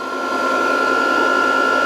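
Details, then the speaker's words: VFD cooling fan running normally while reforming capacitors at 140 V input; drive flashing under-voltage and stop. Steady, even fan hum with a constant high whine over it, no rubbing or rattle. "under voltage and it's flashing stop and da da da. But you can hear the fan and you can hear everything."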